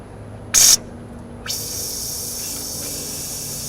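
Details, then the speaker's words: Honda Civic (1988–2000 type) A/C system after compressor and condenser replacement and vacuum: short sharp hiss then steady high-pitched hiss as R134a is vented from the high side while pressurizing, purging air during charging. "as I pressurize the system I let out some out of the high side and what it does it lets out the air as you go"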